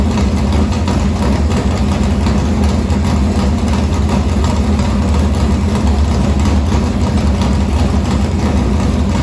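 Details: Morgan Machine-built open V8 (about 358 cu in) race engine in a Harris car, EQ heads, likely an Edelbrock Victor Jr two-barrel intake, started after sitting a week and a half to refill an unhooked fuel line: deep, loud, steady lope with even rumble, no knocks or rattles; normal idle.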